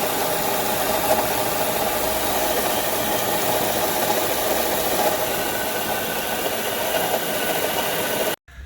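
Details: 2007 Honda Odyssey at idle: light, uneven ticking rattle over hiss; replacing the timing belt tensioner did not stop it, engine ran silent with serpentine belt removed, and spinning belt-driven components traced the noise to the alternator bearing.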